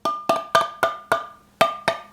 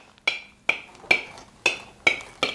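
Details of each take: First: Spoon test on a Tattler reusable canning lid on a stored jar: eight sharp taps, each followed by a ringing, buzzy rattle as the lid vibrates loosely, showing the lid is not sealed. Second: Home-canned jars with Tattler reusable lids, nearly four months in storage: eleven spoon taps, each a bright, clear ring dying away cleanly with no dull thud; all 28 remaining lids are still sealed.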